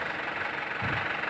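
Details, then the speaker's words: 2008 Isuzu Panther LS diesel at idle; even, steady idle with a soft clatter and no knock, misfire, surging or vibration, a smooth normal diesel idle. "Tidak ada getaran boleh Katakan Ya halus-halus betul suaranya halus betul getarannya"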